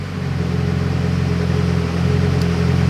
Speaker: so we're idling right around here which is that 30% fuel so you can hear the engine change and now we're super rich